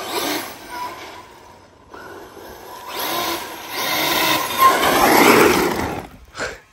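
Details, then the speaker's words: Brushless-converted Losi 5ive-T 1/5 RC truck, Castle 2028 800kv sensored motor, Hobbywing Max5 ESC, 8S LiPo: motor spools up and down with throttle, clean rising mechanical gear whine under load, no grinding or skipping; normal brushless motor and gear whine. "This thing, it really does sound pretty good too. Let me know what you guys think in the comments. I think it sounds really good for a brushless system. Just that gear noise, that mechanical gear noise just sounds cool to me."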